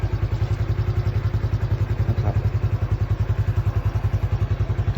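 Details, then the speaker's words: Used motorcycle for sale, under 4,000 km, started by hand: soft, even single-cylinder thump about three and a half beats a second, steady; a smooth, normal idle. "ตามที่เห็นก็แค่มาสตาร์ทฟังเสียงเครื่องกันนะครับผมStepปกติราชิดทำงานสตาร์ทมือนนะครับเสียงเครื่องนิ่มตอนที่ได้ยิน"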